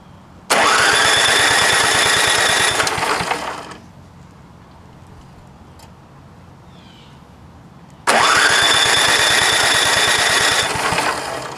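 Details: Vintage snowblower engine, fuel tank not connected, primed through the plug hole: twice catches and roars about three seconds then dies; float stuck, fuel starvation.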